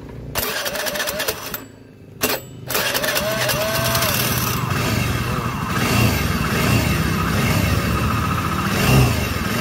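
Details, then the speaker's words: Carbureted Honda Scoopy with a robot-like rough engine sound, run with the drive pulley removed: a harsh, gravelly mechanical roar remains, so the noise is internal; cylinder head and crankcase to be opened. "segitu jelas ya ini tanpa pulih tetapi untuk suaranya dia masih ada"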